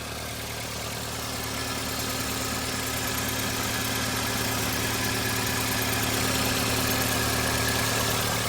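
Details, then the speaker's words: Toyota Avanza at 300,000 km with only basic servicing and oil leaks in many places: steady low growl and hiss over an even idle with no clear knock; the growl is attributed to the air filter. "yang gerung-gerung itu dari filter udara."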